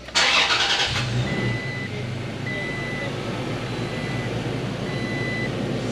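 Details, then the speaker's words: Toyota Tacoma V6 after replacing spark plugs with Denso Iridium plugs: cranks briefly, catches cleanly and settles into a smooth, even idle with a faint background chime; much better than before, though a right-bank issue remains suspected. "sounds like a try and get that sounds like really good nice better than the first time I looked at it yeah a lot better than the first first time that's for sure"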